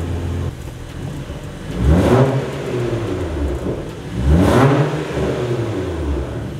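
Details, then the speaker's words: BMW 335i with N55 engine, after the intercooler was refitted; possibly an unplugged MAP sensor and a drivetrain malfunction warning. Two lazy revs climb slowly and fall away with no crisp pickup: sluggish throttle response. "it's got a really slow throttle response"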